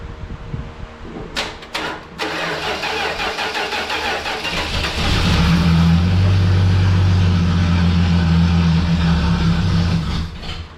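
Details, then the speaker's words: 1968 Dodge Dart slant six, sat 18 years, carburettor refilled with gas: long cranking with catches, fires and runs rough and loud for seconds then dies; dirty carburettor, idle circuit probably plugged, runs on starting fluid. "That seems to like that starting fluid. That carburetor just must be dirty inside. did not let any fuel get through."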